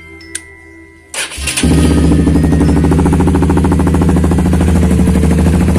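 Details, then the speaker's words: Honda CBR150R at idle with DB killer removed, on a roughly two-year-old aftermarket exhaust whose original packing is unreplaced and burnt: loud, raspy, crackling exhaust note after starting; owner thinks the worn packing needs replacing. "Suaranya udah kemakan kayaknya, udah mau minta ganti."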